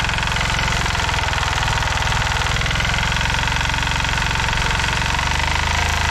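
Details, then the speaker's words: 1970s Hatz diesel compactor roller: steady, even diesel clatter with a firm low thump and no misses or knocks, the engine running well; the drums are stuck and won't move. "oh yeah so yeah this thing runs dandy but uh yeah we're definitely having problems with the drums here"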